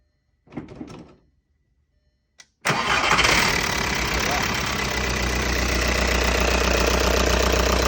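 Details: 2002 VW Jetta ALH TDI diesel, first start after replacing the injection pump upper and lower body gaskets (fuel leak). Short crank, then it catches at once and settles into an even, steady clatter of about four beats a second with no stumbling.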